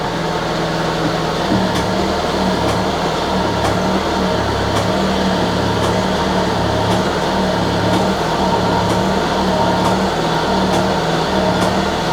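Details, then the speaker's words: Citroën BX hydraulic suspension and brake pump refilling after being emptied, spool tightened, no leaks: steady pump whir with sharp ticks about once a second over low hum; clicking indicates low hydraulic pressure still building. "All that clicking suggests that it's low on pressure for sure. needs to build up all the pressure."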